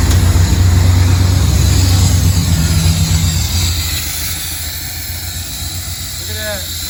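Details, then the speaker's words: 1969 Pontiac Firebird with a Holley Sniper EFI idles low and uneven with a steady skip in the beat that fades as revs drop; one cylinder is dead, and swapping injectors confirmed a bad injector that clicked on the bench but was not spraying properly. "So maybe it is just a bad injector. Maybe I'll switch injectors and see if it moves."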